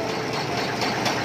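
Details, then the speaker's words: Volvo FM12 truck diesel with an "otok-otok" noise: heavy running with a dull knock under the rumble that grows louder with throttle; owner suspects something loose or broken inside; rod bearing knock. "Ya bunyi ondong. Jadi kalau ditekan mainnya semakin kuat ya dia bunyi."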